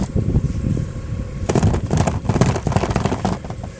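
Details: Lada Vesta SW Cross 1.8 manual, driving: bursts of hard, irregular clatter and thumps from the front right over road noise. The fender liner was torn from the bumper and ice packed in strikes it. Ice-packed fender liner knocking.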